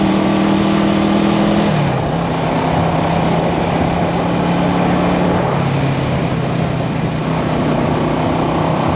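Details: 1974 Honda CB360 twin, test ride after fixing the faulty number two carburetor: engine note climbs cleanly and drops through gear changes over road noise, with no hesitation. Pulling healthy.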